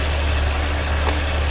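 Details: Ford Taurus with misfires on several cylinders and lean condition at both upstream O2 sensors, waste-spark coil: low steady idle with faint uneven lope; dead cylinder, no spark on cylinder 1 found by test-light drop test.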